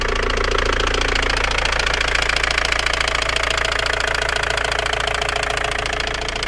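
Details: Opel Vectra B engine: sharp, even knocking about four times a second over the idle, steady and persistent; source unknown; engine knock.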